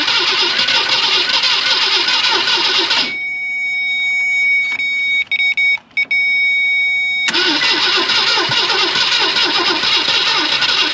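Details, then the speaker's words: 1965 Ford Thunderbird off the road since 1986. It cranks briefly, stops, cranks again and never catches, with no fuel coming from the fuel pump. The owner also suspects the coil: a fuel-starvation no-start. "well crap there's no fuel coming from the fuel pump which sucks well I guess the fuel pump isn't sucking and I can't get it to crank it wants to but it just not doing it"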